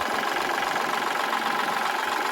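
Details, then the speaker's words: Used Kubota L3008 tractor diesel, easy starting, hour meter 700-plus hours: steady even idle clatter with no knocks or misses, engine sounds good; belt likely stretched, some belt squeal noted, belt to be replaced. "อยากฟังเสียงเครื่องดูครับเสียงเครื่องดีครับผมโอเค"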